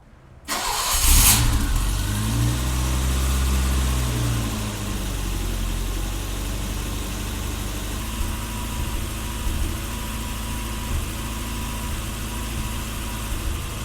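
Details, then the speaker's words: 1984 BMW E30 318i, warm after a 25-minute highway drive, before cleaning the idle control valve: engine catches and idle rises and sags for a few seconds before steadying, a slight idle stumble; top end also noisy. "now on top of that little stumble at idle the top end is still a little bit noisy so I'm thinking we'll pull the valve cover and adjust some valves today"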